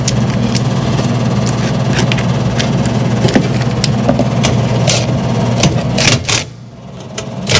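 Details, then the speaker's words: 2013 Lennox AC system with a previously replaced blower motor: loud steady low hum with a rattly vibration; the noise is traced to the blower motor, shaking from a weak run capacitor. "so i think whatever it is coming from that blower motor guarantee it's coming from that blower motor"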